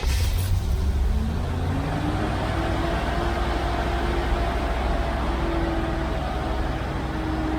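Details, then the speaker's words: 1971 Chevrolet Corvette C3 V8 just after a QuadraJet carburetor rebuild, fresh start: steady, fast idle with an even drone, somewhat high. "right a little high it's supposed to be your island about 1800 rpm"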